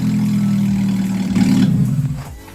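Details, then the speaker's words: VW Lupo engine, first start after years stored in a garage, spark plugs cleaned: loud, steady, even-firing run with no misses or knocks, noisy because the exhaust is off; normal running. "that's a good engine that sounds sweet [Music] obviously it sounds a bit loud because the exhaust's not on"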